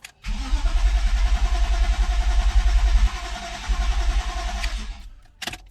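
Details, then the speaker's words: BMW M52 after oil filter housing check valve fix, fuel pump disconnected: starter churns at about three and a half turns a second with no firing to build oil pressure; oil light took long to go off. "to crank it a couple of times without it starting so it can build oil pressure."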